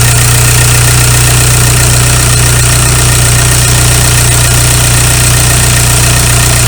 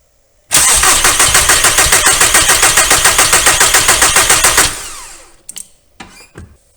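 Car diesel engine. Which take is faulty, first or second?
second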